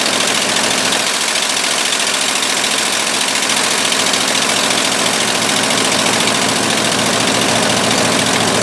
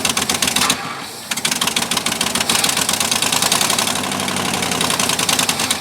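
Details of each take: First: 1958/59 Ford F600 grain truck with a 330 V8, long unused, after the carburetor float was reinstalled: steady, even idle with a smooth regular beat and no knocks or misses; runs cleanly. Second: 1958 or 1959 Ford F600 grain truck, 330 V8 with 4+2 transmission, idle for years, attempted start: fast, uneven, ragged clattering run as the engine gets far too much fuel.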